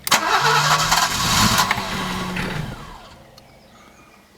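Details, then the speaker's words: Alfa Romeo 90, first start attempts after 22 years standing, new coil fitted: starter spins briskly about two and a half seconds without catching, then fades; crank no start, fuel suspected. "okay so after many attempts as you saw the thing still doesn't start so what I'm gonna do is the last thing that I can find is the fuel problem"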